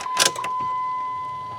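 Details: 2007 Jeep Liberty towed in with a no-crank, no-start (another shop blamed the ignition switch): click at key-on, then a steady high thin hum as the fuel pump primes normally, with no cranking.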